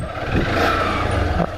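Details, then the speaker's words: Motorcycle used for app rides: engine running with sharp, irregular cracking clicks from the rear. The owner suspects worn rear wheel bearings and plans to replace them. "minha moto tá fazendo um barulho aqui na parte traseira eu creio que seja creio que seja os rolamentos rapaziada tá fazendo um barulho feio"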